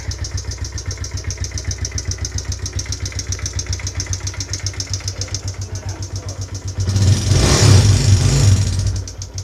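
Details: Suzuki Raider J Pro small single: hard, regular tapping about four per second at idle, louder when revved; engine knock that began after running at top speed, cause unknown.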